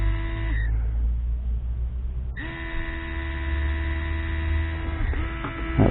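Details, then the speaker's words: 2005 Mercedes W463 G500 multicontour seat air pump hums, stops, then restarts on its own uncommanded; owner suspects it is triggered by a pressure drop sensed by the pressure switch, not confirmed. "weird this just came on by itself when I turned the camera on so this is signaled it's got to be signaled by a drop in pressure"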